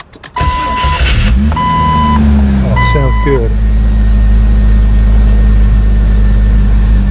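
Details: 1999 Jeep Cherokee on its first start after a new Mitsubishi starter was fitted (the old one gave no click at all): brief chime, quick crank, clean catch and steady even idle with no grinding.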